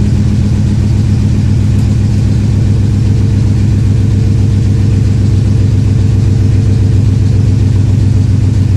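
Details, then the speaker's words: V8 logged 8151 misfires on cylinder eight; cylinder contribution test showed eight negative, so its ignition coil is disconnected to confirm: deep, loping, lumpy idle like seven cylinders running, misfire on eight suspected, not yet confirmed. "so I'm going to disconnect number eight ignition coil and make sure it's that fella had the problem"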